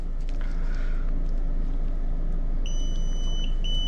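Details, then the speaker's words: LG Multi V indoor unit leaking water into the ceiling, in cooling mode: steady high meter beep over a low hum, breaking off and returning as the float moves; about 0.5 ohm with the float down, open with it up; float switch working properly. "Got continuity with the float down.5 ohms. And if I move it up, we got O."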